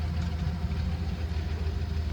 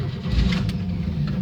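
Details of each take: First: 1971 Chevy C10 six-cylinder with three-speed floor shift, idling after starting on a year-old battery. Steady, even low rumble with no misses or knocks, holding a smooth idle: normal running. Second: 1971 Chevy C10, six-cylinder, three-speed, sitting a long time, cheap battery charged two days. Low, lumpy cranking with a few uneven catches, nearly fires but won't pick up; hard start after sitting.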